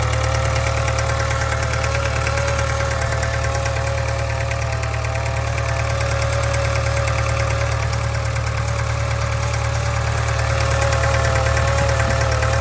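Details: 2013 Subaru 2.0 Boxer at idle: loud steady low hum with an even quick rhythmic knock about three per second, constant; engine knock and hum.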